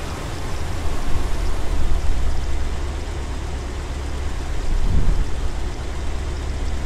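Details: 1977 Corvette L-48 350 V8, Quadrajet carburetor, cold start after tune-up, timing fix and vacuum leak repairs: steady deep fast idle with choke kicked down to 1100 RPM, one brief swell. Normal cold fast idle.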